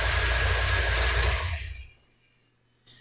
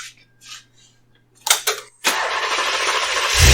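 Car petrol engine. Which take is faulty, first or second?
first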